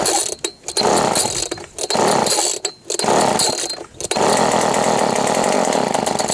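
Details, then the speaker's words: Old Ryobi RSV 3100e leaf blower, first start: loud, raspy two-stroke buzz revving in uneven bursts with a harsh open edge; muffler not refitted properly and leaking. "il a un problème avec le pot j'ai du mal remonter un truc dans le pot je vais revoir ça mais sinon il a démarré donc c'est déjà bien"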